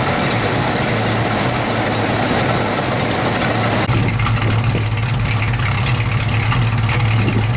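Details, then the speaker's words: 1970 Plymouth Road Runner V8 revived after sitting over 25 years, new fuel pump fitted: steady even idle with smooth low rumble, no knocks or misses; exhaust manifold leak noted; normal idle. "we put a new fuel pump on and now it HS like a kitten got an exhaust manifold leak over there"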